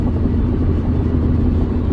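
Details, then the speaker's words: 2014 Ford Focus Titanium 2.0 with swapped engine, driving about 80 on the freeway under load after crank sensor relearn: smooth, even drone, no misfires; the earlier misfire under load is fixed. "no misfires all cylinders are running great"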